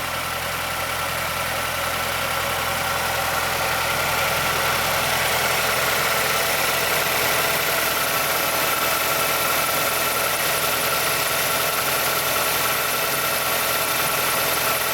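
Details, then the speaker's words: 2006 Mazdaspeed6 started from cold, idling: fast light clicking over steady hum from the timing chain area, covered by Mazda SSP-87 for VVT lock pin wear or timing chain stretch; cause suspected, not confirmed. "Be difficult to hear over the engine noise, but there's a pronounced click coming from the timing chain area."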